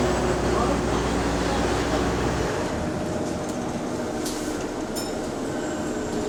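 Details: Bus SLN 12340 on route 161, diesel running: a continuous whirring rumble with a loose rhythm, an abnormal noise from the hydraulic cooling fan.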